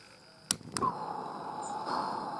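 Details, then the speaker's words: Accucraft Caradoc 0-4-0T live steam locomotive being prepared: two sharp lighter clicks, then a soft steady hiss as the gas burner flame catches and runs evenly; normal. "you go now you can now hear there's a hissing going on in there which is of course the flame in the burner"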